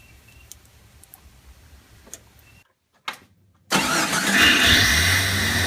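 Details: Engine after fixing a high idle by adjusting the throttle position sensor, set to about 82–83 on the meter; brief crank, then catches and settles into a steady, even idle with no racing or hunting, normal idle.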